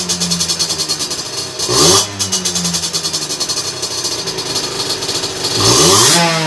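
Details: Two-stroke on a dyno bench with a 17.5 mm carburettor, after the air mixture screw was turned in to cure a lean mixture: crisp buzzing idle holds steady, snaps up sharply on two quick blips and drops cleanly back. Normal idle and throttle response.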